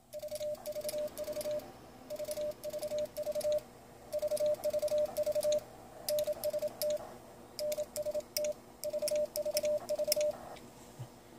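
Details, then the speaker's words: Icom IC-7300 full break-in (QSK) CW keying, driving an Elecraft KPA500, after removing the amp relay (amp now keyed by relay driver transistor): steady keyed tone with faint bug and paddle clicks, relay almost inaudible; quiet break-in keying. "the bug so you can hear the clicking of the bug and the paddle but the relay is almost completely inaudible so it was a great mod to remove the amp relay"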